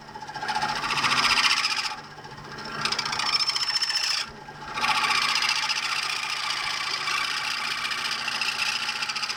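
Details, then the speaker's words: Lathe cutting aluminium for a Kawasaki GT550 gear knob, gently feeding back and forth: rough, raspy high-pitched chatter rising and falling with each pass, stopping between feeds, leaving an uneven surface; harsh cutting noise from chatter. "But yeah, it's pretty chattery. If you're unfamiliar with LA terminology or machining terminology, chattering is just basically that that noise that you're hearing,"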